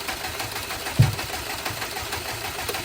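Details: Bugeye car with the custom chip tune swapped back to an off-the-shelf Cobb base map and the mass airflow sensor unplugged: an uneven, lumpy idle with a heavy thump, barely running. Rough running; fuel suspected, not confirmed.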